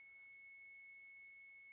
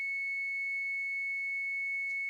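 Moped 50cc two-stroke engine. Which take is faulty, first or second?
second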